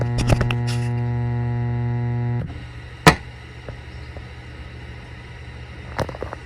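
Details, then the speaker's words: Fender Deluxe Reverb reissue amp: a loud, steady mains buzz cuts out abruptly when a capacitor is paralleled across the 47 µF filter cap, confirming that cap has failed; filter caps replaced. "yeah so we can definitely hear that 47 microfarad cap is bad so I just like to go ahead and change all of the filter"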